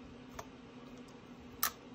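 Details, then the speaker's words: Brand-new MSR Windburner stove whose flame went out on first use and wouldn't relight: turning a leg in the small fail-safe valve hole gives a faint tick then a sharp click, meant to open the release valve, yet still no gas is heard afterward. "okay I kind of heard a click so you just try that one more time what that's supposed to do is open the release valve"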